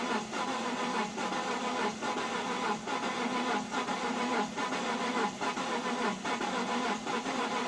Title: Z4 crank but no start after sitting in the cold for 3 weeks